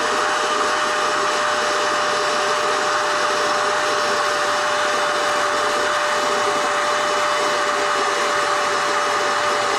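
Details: NovSight G5 6000A jump starter/tire inflator's built-in air pump, switched on and inflating an item until it is taut: steady high-pitched whir with constant airy rush, no surging or rattles; normal running.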